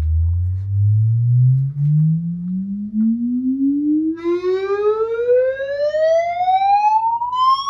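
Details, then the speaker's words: Paradigm CC-390 center channel speaker playing a 20 Hz to 20 kHz sweep at about -15 dB: smooth rising tone turns buzzy and rattling partway up the sweep as one midrange driver vibrates; blown midrange driver. "you can tell somewhere in the middle here we had um some strange vibrations from uh it sounded like this driver here"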